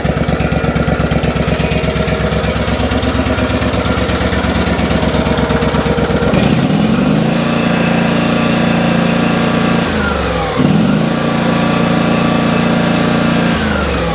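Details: Kohler V-twin on a Simplicity Stallion zero-turn, previously running poorly, after a new muffler was installed, warming up: even steady firing beat with smooth throttle dips and recoveries, no misses or knocks; runs healthy.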